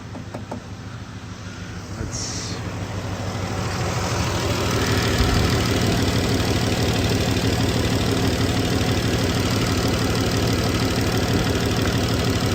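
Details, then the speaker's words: 2015 Dodge Grand Caravan 3.6L V6 with P0303 and P219A: uneven idle with a steady stumble about three times a second, cylinder 3 misfire persisting after swapping coils 1 and 3, so likely not the coil; check light on, not flashing. "e firing okay sadly still missing I can hear it missing lights on but not flashing"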